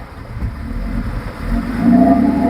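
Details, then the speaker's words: Engine with newly replaced clutch fan, restarted after sitting about four and a half hours: revs up with a steady low whooshing roar swelling and holding as the fan grabs; clutch engaging properly, sounds better than before. "It's sucking a lot of air. Yeah, I don't like I don't think it likes it on that coolant, but it does sound better than it did."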